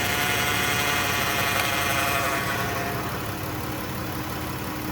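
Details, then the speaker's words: Chrysler-group minivan with no fluid or filter service since purchase at 55k, at idle with the dipstick out: a steady mid-pitched whine that keeps getting louder, with brown, burnt-smelling fluid showing severe overheating; a worn automatic transmission pump, so the transmission needs replacing. "uh-oh y'all hear that here they come let's take a look at the fluid yes there is always getting louder and louder"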